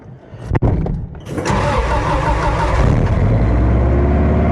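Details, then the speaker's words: 1993 Subaru Loyale started: starter turns briefly, then the engine catches and settles into a smooth, even idle with no knocks or misses; runs very well. "this thing as you can hear runs very well"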